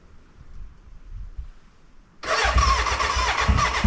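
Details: BMW K100 café racer first start after rewiring, tank newly fitted and fuelled: quiet, then sudden loud rapid chuffing about three beats a second that stumbles without running, a cranking no-start; owner suspects the battery died and will recharge.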